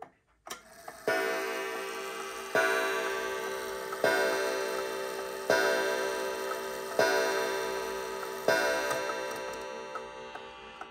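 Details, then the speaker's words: Antique count-wheel kitchen clock set to 12: a soft warning click as the striking mechanism readies, then even ringing strikes about 1.5 seconds apart, striking normally. "for example i'm going to set this clock to the 12 and we'll hear a click for the what's called the warning and that's the striking mechanism getting ready to go and then we should hear it count the hour"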